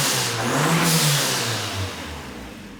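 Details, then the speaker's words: WASAABI, the $3000 turbo car, first run after fitting a pod filter and blow-off valve in place of the stock airbox, with an airflow meter. Revs climb unevenly with a slight wobble, then fall away. Hesitation on acceleration; the cause is unconfirmed. "There it is. Oh, a bit of hesitation on acceleration. Nah."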